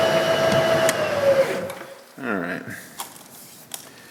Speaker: This is pretty hard bronze here. And you can hear it. You hear it squealing a little bit.